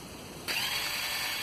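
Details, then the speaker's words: Kawasaki Bayou/Lakota ATV starter that spins but won't engage the engine: a high, steady freewheeling whine with no cranking beat, because the worn clutch in the starter drive idle gear sprocket slips; the fix is replacing that sprocket. "a common problem on Kawasaki by use lakotas and perhaps some other models and brands of quads is a starter that works but will not engage the engine let me show you what it sounds like when you hit the starter button your starter will spin freely and sound like this"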